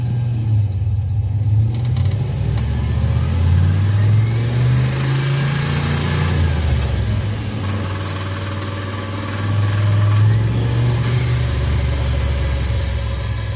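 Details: Turbocharged 5.3 V8 Chevelle engine revving after runs to about 3,500 rpm; revs rise and fall with a faint metallic rattle in the low rumble as they drop toward idle. The rattle has grown louder over time and its source is unknown.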